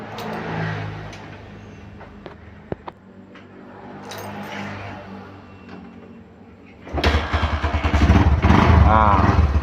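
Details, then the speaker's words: Honda Verza 150 motorcycle, previously very rough-sounding despite repeated engine teardowns, after repair: a quick kick-start catches into a steady, even, round-sounding idle like a new bike; normal start and idle. "ini suaranya, Teman-teman. Baru suaranya bulat ya. Ah, suara mesinnya baru merdu teman-teman. seperti suara motor Verja pada dasarnya atau suara motor baru ya."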